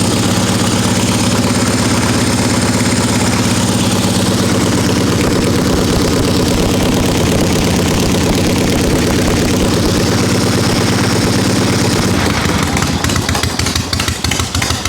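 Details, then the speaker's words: 1974 Harley XLCH Ironhead chopper after 5 years apart, ice cold with no warm-up: loud lumpy but even potato-potato twin beat firing steadily without stumbling; normal cold idle. "she's healthy. That's like no warm up, still ice cold."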